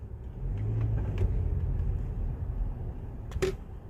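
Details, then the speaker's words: Test drive after the cause of a clicking noise when driving slowly or braking was removed from the cabin: steady low road rumble, no repeating tick or click; cabin now quiet. "아무튼 소리가 나지 않습니다"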